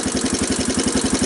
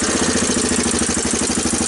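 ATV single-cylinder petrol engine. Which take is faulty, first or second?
first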